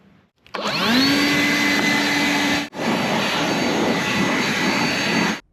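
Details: Troy-Bilt 21in self-propelled mower with a Honda GCV160 engine that runs only with the choke taped on. It spins up to a steady drone, briefly stumbles and nearly cuts out mid-run, then recovers; the carburetor is at fault.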